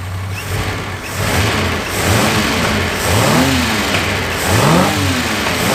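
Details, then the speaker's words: 1976 Ford Capri Ghia, carbureted, after fixing carb fuel leaks and reconnecting the fuel system: revs up and down cleanly without stumble; runs fairly well, but vacuum systems are not working and tuning is uncertain; engine warming up. "so fuel system's great she seems to run fairly well but i can't i'm not sure if it's spot on yet"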